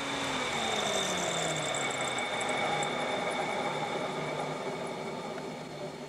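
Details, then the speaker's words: 1992 Ford Taurus two-speed electric fan converted onto a vehicle, controller sets low speed at 180° and high at 190°, high speed run: steady even air rush with smooth motor whir, no rubbing or ticking; normal high-speed fan. "the high speed will actually kick on at 10° higher 190° or whatever I set the controller to but here is the highspeed which does push push out some major"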